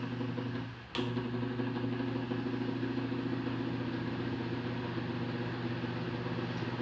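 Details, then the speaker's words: Fan motor switched straight onto 220 V mains at low speed (speed 1): harsh, steady electrical buzz-hum; noise at speeds 1 and 2 but normal at 3, diagnosed as a faulty capacitor, to be replaced. "vou ligar agora direto na rede 220 na velocidade fraca direto veja bem como ela reclamou"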